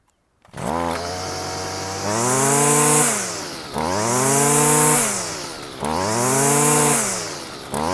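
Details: Stihl FS55 two-stroke line trimmer after replacing the flex-shaft sleeve and greasing the flex shaft: engine blips from idle about every two seconds, pitch rising cleanly and falling back with no rattle or shake; runs normally, excessive vibration fixed.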